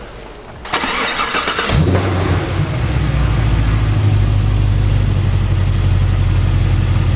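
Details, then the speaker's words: Supercharged Cadillac CTS-V (stock 497 hp) first startup after smaller pulley, RotoFab intake, rerouted PCV and ARH headers/exhaust, calibration loaded; starter whirr, quick catch, deep steady idle with no misses or tapping, normal startup. "Sounds good. That's good for a startup. Yeah. So everything looks good."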